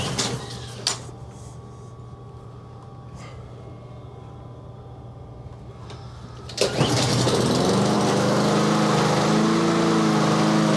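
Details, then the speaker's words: Yard Machines push mower after a tune-up, sharpened blade and deck cleaning, cold start with the choke just turned off. A few clunks, then the pull start catches and the speed hunts up and down; surging idle until it warms. "let me surge a bit the choke is off now research until it warms just a little bit"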